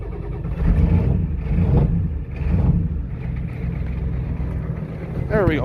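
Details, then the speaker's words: Ford 7.3 IDI turbo diesel on a test run, ether-started after an hour outside at about 10 below but partly warm from driving, not revved: lumpy, uneven diesel clatter with surges a couple of seconds apart; rough idle blamed on a faulty injection pump. "if it sounds like a titling rough that's because the injection pump is messed up and this thing is not cold"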